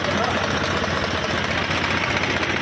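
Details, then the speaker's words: HMT 3522 tractor diesel, air cleaner pipe refitted and oil changed, restarted after about one hour of running: loud, even idle clatter with regular firing, no misses or extra knocks, no smoke; healthy. "दोस्तों tractor complete start हो गया है और अभी आप इसकी firing देख सकते हैं पर इसम कोई धुवा बिल्कुल नहीं है"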